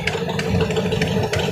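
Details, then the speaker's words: Chris Craft Stinger 222 boat, first run of the season at night, wireless mic near engine: sharp, regular puffing tick over the idle from the port-side front cylinder; exhaust manifold leak, not a knock, likely leaking for a couple of years. "this is not a knock that's an exhaust leak up here on the manifold carrot yeah you hear the mic it's on this port side it's that front cylinder"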